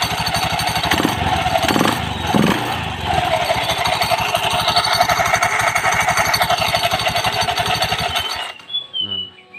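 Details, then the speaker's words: Honda Beat FI scooter, harsh metallic jingling clatter about three times a second at idle from the CVT; suspected in the clutch (kampas ganda), not the front pulley. "ini suaranya kasar sekali ya"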